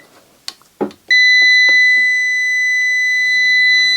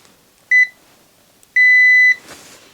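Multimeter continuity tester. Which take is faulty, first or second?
first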